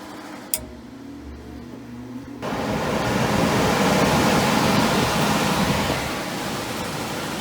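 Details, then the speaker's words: Carrier gas furnace in a small commercial building, after blower motor replacement on a no-heat call: blower spins up after a brief click into a steady, even air rush, quicker and smoother than before, no rattle or hum. "Starts up a lot quicker, smoother, and sounds a lot better."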